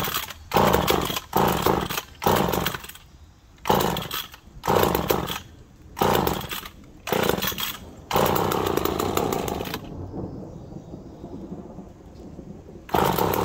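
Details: McCulloch Pro Mac 1010 chainsaw after carb readjusted (owner thinks it had been running a little rich): fires in short bursts rising and dying about every second, then holds a ragged run; still not carburetting properly.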